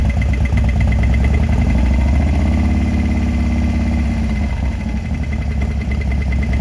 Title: knocking noise?